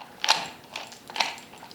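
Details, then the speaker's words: Worn CV joint on a street car driveshaft at high steering angle: sharp crunchy clicks about twice a second, louder as steering angle increases. "And you get away with that when your CV joint starts to wear out. You'll hear this clicking noise."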